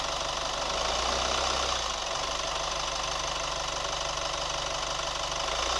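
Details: New Chevy Colorado at steady idle: light fast tick about four per second over the engine hum; ticking noise, cause not yet pinned down.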